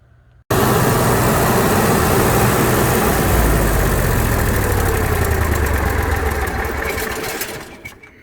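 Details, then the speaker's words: Onan 5500 RV generator after removing the fuel filter (149-2341-01) leaking at the carburetor and clamping the fuel line. It catches right away and runs smoothly and steadily. After 2–3 hours of running there are no fuel leaks and everything is dry. "We've been running about 2 or 3 hours now. And there's no fuel leaks. Everything's good and dry."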